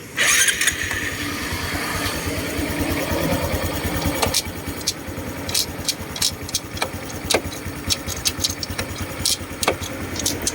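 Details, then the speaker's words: Honda Wave 125i LED after clutch adjustment loosened: engine starts and idles evenly, gear engages with only light clicks; loud clunk on engagement, caused by overtight clutch pressing the bearing, is gone. "ผมก็เรียบร้อยนะครับหายแล้วนะครับผม"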